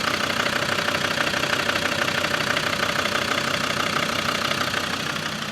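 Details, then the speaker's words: Land Rover Defender Td5 110 with GTB450 turbo, on the dyno after fitting reconditioned 15P injectors: steady idle with hard even clatter about three times a second, noticeably louder and more tractor-like than before; injector knock. "But we have uh or we do think this is a lot noier than what it was."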